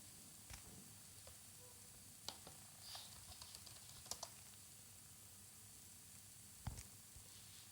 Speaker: No noise. So it's fully perfectly working.